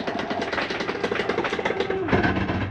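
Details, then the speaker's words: Catalina 243RBS travel trailer slide-out retracting fully: fast ratcheting clatter for about two and a half seconds then stops, slide mechanism stopping itself at full retraction; nothing wrong. Normal end-of-travel ratcheting. "once you hear that little noise it's okay to hear that nothing's going on with your slide that's just the slide mechanism telling itself not to come in any further"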